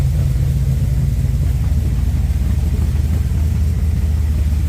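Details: Newly installed blueprint 383 V8, new header gasket fitted over a small exhaust leak: deep, steady, slightly lumpy rumble at a settled idle with no ticking or puffing; normal healthy idle.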